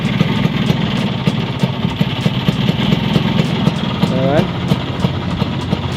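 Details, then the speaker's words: Vespa two-stroke scooter after swapping the noisy type-7 clutch for a type-6 clutch: even idle with a regular light popping beat and no clutch rattle, quieter than before. "kita cek ya suaranya itu lebih enak daripada yang sebelumnya gitu"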